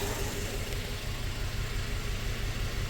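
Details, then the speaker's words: 2004 Toyota Tacoma four-cylinder, 141,000 miles, after swapping coils and plugs: still a cylinder 1 misfire, uneven idle with a soft irregular low stumble under the hum. "We are still cylinder 1 misfire. So this is going to get pretty interesting now."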